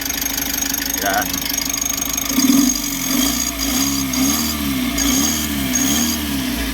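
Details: Mitsubishi L300 Euro 4 CRDi diesel after replacing the alternator bearing and pulley: the clatter settles into a steady, even idle without the earlier loud, harsh humming growl. Normal idle.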